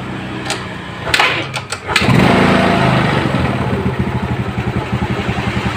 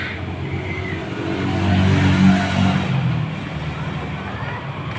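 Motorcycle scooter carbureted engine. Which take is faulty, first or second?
first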